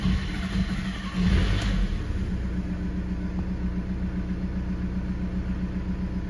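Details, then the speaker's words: SEAT León 1.9 TDI diesel, hot or cold: cranks and churns long before catching and settling to steady idle; typical hard-start fault on this engine from fuel draining back. "aquí tenemos un se León con este típico fallo Toledo Audi skoda Bueno un millón de modelos que os pasará este tipo de fallos que le cuesta mucho arrancar y al final arranca"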